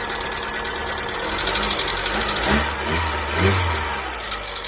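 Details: 1.4 MPI petrol (Polo/Ibiza/Fabia), cold start: light irregular tick over idle, about 2-3 per second, began ~500 km after oil change, lasts up to 5 min; persists despite new hydraulic lifters, rockers, oil changes; cause unknown.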